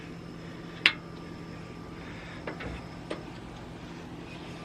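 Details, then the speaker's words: 1996 Ford Bronco, 351 Windsor, about 220,000 miles, after swapping automatic hubs to manual WARN locking hubs: wheel turned by hand with hub unlocked, nearly silent, a few light clicks over faint hum; differential spider gears freewheeling normally. "So, we're spinning. And that's just the differential freewheeling. It's not nearly as bad as it was. When these suckers are open, there is no drag on that."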